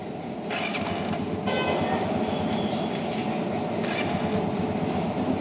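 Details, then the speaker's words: Hero Honda Passion Pro motorcycle after repair and refitting the magnet cover and starter wiring, fixing a loud noise on self-starting: starter spins up cleanly and engine settles evenly, no grinding or whirring; normal electric start. "तो ये देखो self sound करना बंद हो गया है वापस से बंद करते हैं और सिर्फ मारते हैं देखो अभी साउंड नहीं ए रहा है"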